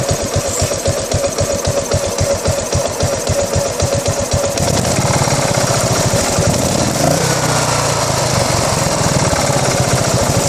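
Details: 2008 Buell Blast single-cylinder motorcycle with a rough idle: uneven, thumping pulses before settling into a smoother, faster run.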